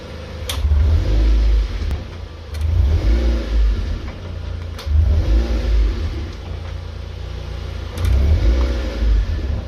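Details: Mazda NC (MX-5) rear clicking while driving: sharp isolated clicks every second or two as the engine pulls and eases off; owner suspects the drive shafts but origin unknown.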